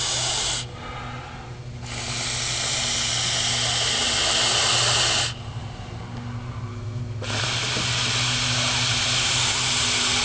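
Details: Idling engine with a loud, sharp hiss cutting in and out from a vacuum leak at the intake manifold, located with liquid soap.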